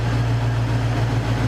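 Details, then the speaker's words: Cougar, idle after the misfire was addressed: deep, steady low hum with an even beat and no stumbles, misfires or pops; it idles smoothly and cleanly. "idle goes down i don't hear any misfires i don't hear any popping"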